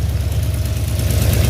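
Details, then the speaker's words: 1970 Dodge Charger rebuilt 318 V8 with Flowmaster exhaust, at idle: light quick ticking keeping pace with engine speed over steady rumble; owner suspects slow oil delivery to top end, unconfirmed. "so yeah engine runs it's got a little ticking and all that's mainly because that 530 ain't really just pumping up through the thing too fast but there is oil getting up to the top of the engine though"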